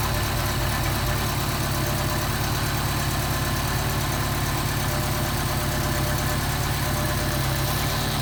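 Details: Mercedes 190SL Solex carburettors on a test engine, cold on choke and not yet adjusted, idle mixture screw backed out half a turn: a steady, even cold idle with a smooth low rumble and no misses; it will be synchronised once warm.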